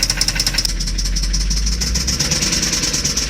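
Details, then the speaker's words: Jaguar engine at steady idle with a regular sharp ticking knock at roughly six per second, heard on walk-around before a Dura-Lube additive oil change; lower-end knock, cause not pinned down, additive only slightly helped. "this is how it sounds right now not good so let that oil run for a while see how it sounds later"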